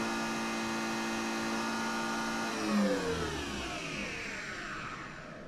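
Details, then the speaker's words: Nespresso Vertuoline after bearing replacement: smooth even hum from spinning capsule, pitch sliding down as it winds down, no rumble or grinding; much quieter than before, brewing spin healthy. "that sounds much better and i think there's more chroma too i guess a new bearing will do that for you"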